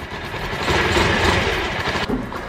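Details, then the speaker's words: Yamaha SZ after 183cc bore kit install, 30mm, stock air cleaner, muffler refitted: catches on the first kick, not hard to kickstart, settles into a loud, steady run with no knocking or rattling; healthy start. "So, paandarin natin ngayon na nilagay ko na rin kanyang muffler. Yun. So, one click lang po. So, one click lang po talaga."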